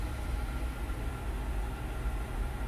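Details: 2014 Honda Odyssey 3.5, 83K miles, after fixing cylinder 3 misfire from oil-fouled plug: steady even low idle with a faint constant tone, no stumbles after a few initial misfires; misfire gone, idling smoothly.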